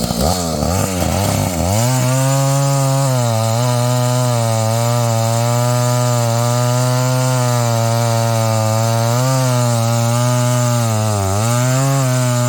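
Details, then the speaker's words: Husqvarna 285 (85cc) two-stroke chainsaw after a seal replacement and a shortened bar, cutting wood: strong steady note dips slightly and recovers as it bites; runs cleanly without stalling, healthy saw. "I made it run it will cut wood at this point in time I just ran it out of gas does not stall the way it did before and it putts like a lawn more the way it's supposed to"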